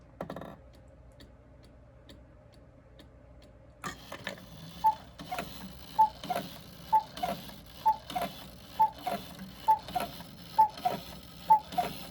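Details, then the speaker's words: Vintage gravity-driven wall cuckoo clock back in its case, at the half hour: quiet even ticking about once a second, a faint feeble cuckoo note and no chime; the bird barely wiggles, the strike lacks lift. "He's just barely wiggling. He's supposed to move more than that. The chime doesn't chime, but that's progress."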